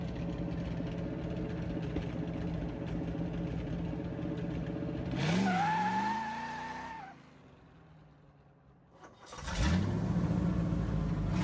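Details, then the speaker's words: 1963 Chevy C10 driving after restoration: steady engine drone with one brief rev and no rhythmic wheel knocking; knock was a wheel bearing, fixed with fresh wheel bearing grease. "The knocking noise is gone. So pumped for that. That it was just a wheel bearing."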